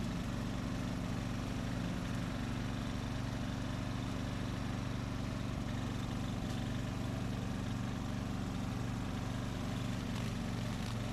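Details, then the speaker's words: 2004 Craftsman 30-inch mid-engine riding mower built by Murray, after a new piston and connecting rod and a kill-wire short fix: steady even single-cylinder thrum at constant speed, no rattle or knock; normal running. "all right we'll call it rescued it runs starts mows doesn't rattle anymore"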